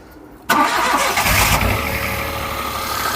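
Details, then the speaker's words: Peugeot 107 three-cylinder on a cold day, just after replacing the dead coil pack: quick crank, catches at once, then a steady idle with normal three-cylinder shake. Healthy. "There you go. Still rough, but it's a 3-cylinder, so it will be."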